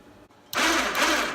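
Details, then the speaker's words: Harbor Freight Badlands winch on a Grizzly ATV that was not working properly, with its two control-box relays suspected, shown spooling in before the relays were swapped: even motor whir with gear chatter, steady. Normal winch operation. "so I'll demonstrate see if you can hear it that's the spool in"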